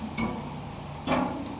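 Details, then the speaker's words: Bicycle wheel being trued and tensioned on a stand: plucked spoke gives short metallic ping with low dull note dying quickly; tension gauge reads about 40 versus 44 nearby, target 55; loose spoke. "you can hear the difference. That's obviously a lower note to this one."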